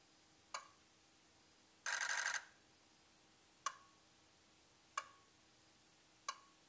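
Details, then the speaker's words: Ford 6.0 Powerstroke diesel injector buzz test during no-start diagnosis: steady buzz for about half a second as all 8 injectors cycle together, then single sharp clicks about every 1.3 seconds as each fires individually; healthy buzz test. "So I'm going to show a quick clip here of what that sounds like and what a healthy buzz test should be like."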